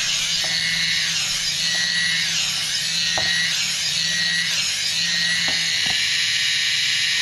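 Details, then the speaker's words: DIY FPV Spider Quad armed at half throttle on the bench: tilting the sticks makes one set of motors spin up while the opposite set spins down, giving a high, even whine that swells and dips smoothly; normal motor response, nothing rough. "Okay, now when I tilt it, it's hard to hear, but I can hear these motors spin down. And these are spinning, these motors are spinning up, and these motors are spinning down. That's exactly what I want."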